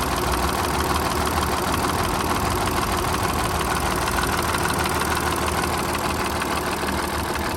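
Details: Audi A7 idling evenly with faint rhythmic tapping about twice a second from the left side of the engine; owner suspects timing chain, unconfirmed.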